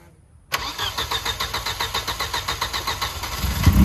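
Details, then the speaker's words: Volvo after slapping on a new belt, with the fuel injection relay pulled so no tank gas reaches the clogged injectors: the engine catches and fires in quick, even pulses for a few seconds on starting fluid only. Brief firing on starting fluid. "I don't know if you heard that, but it ran. It definitely ran. Huh."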